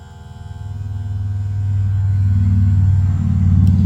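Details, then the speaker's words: Tamiya Super Stock BZ brushed motor from a Porsche 959 tribute RC car, after blowing dust out and cleaning, jump-started and run in to seat the brushes: an even hum rising in pitch as it spins up freely. RPM fluctuation is blamed on possibly flat AA batteries. "It wants to give it a bit of a jump start and away she goes. You can probably hear it running."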